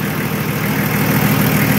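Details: Nissan Patrol Y60, TD42 turbo diesel, first start after 9 months parked with battery disconnected (nearly 3-year-old battery); steady, even diesel clatter at idle with smooth low rumble, no misses or knocks: normal idle.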